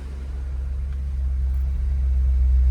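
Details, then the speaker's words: 1968 Ford Shelby GT500 KR Mustang V8 idling just after first start with new plugs, plug wires, high-energy coil and refitted valve covers: deep, steady rumble with an even beat, no misses, ticks or knocks; clean, healthy idle. "And let's get this thing fired up. So yeah, we're running. Sounds good. So we're looking good there."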